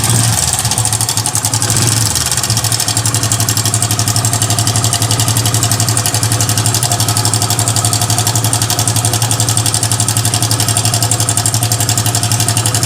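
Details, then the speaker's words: Hero Passion Xpro i3s motorcycle at idle: fast metallic rattle, about four clatters a second; timing chain rattle. "इस तरह का sound है समझ में ए रहा होगा दोस्तों इस तरह का साउंड है और इसका साउंड जो है हमारा टाइमिंग चैन से है"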